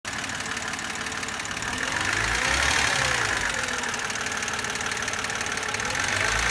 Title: Стук гидрокомпенсаторов N52B25 BMW e92 2007